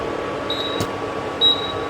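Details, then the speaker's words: Induction cooktop giving two high-pitched beeps over steady cooling-fan hiss because no pan is detected on the zone; beeping stops when a compatible pan is placed. "परत आवाज येत आहे कारण भांड काही नाहीये त्याच्यावर"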